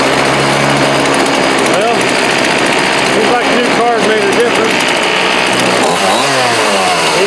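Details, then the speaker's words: Homelite D3850B 18" chainsaw outdoors at about 19°F, after a new carburetor, fuel lines, fuel filter and spark plug: a high buzzing two-stroke picks up and drops back cleanly through throttle blips, with no stumbling. Normal running. "So we replaced the carburetor, the fuel lines, fuel filter. Came with a new spark plug. I went ahead and put the new spark plug in it. Freaking runs great."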